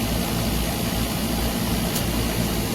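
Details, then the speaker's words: Trane package unit after compressor, contactor and filter dryer replacement, system flushed with nitrogen and fully charged; after swapping two power legs compressor hum is smooth and even, but low side pulls into vacuum and trips on low pressure, pointing to plugged metering pistons. "we got two legs of our compressor switched around so let's see how it sounds now it's a much smoother sound right off the bat and we're immediately getting they closed this off"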